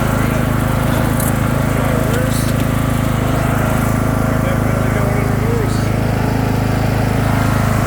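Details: Craftsman II lawn tractor with a swapped-in newer engine and a bad key switch: steady, even single-cylinder putter at constant speed, no misses or knocks; runs smoothly and holds its revs.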